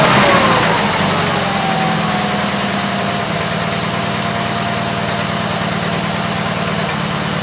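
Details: Gravely 8163-T after a carburetor swap with a new air cleaner setup and adjusted PTO: settles from a brief rev into a steady, even idle with a smooth pulse and no knocks; healthy idle.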